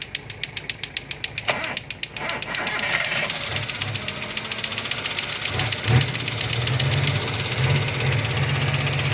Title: Toyota avanza 3SZ engine knocking sound, Panoorin kung ano ang dahilan ng ingay.